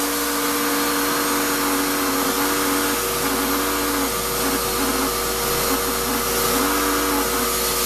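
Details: Shop-Vac vacuuming coarse grit from a rock tumbler: loud steady rushing roar with wavering mid-pitched whine; owner says dust previously pulled through the motor before adding a dust separator pretty much destroyed it, with very little suction. Damaged motor whine.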